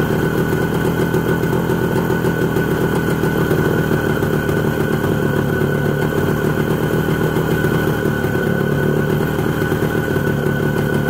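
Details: ČZ 125 type 453 two-stroke motorcycle, first start after engine overhaul: steady, even idle with a consistent beat and no knocking or stumbling, running clean throughout.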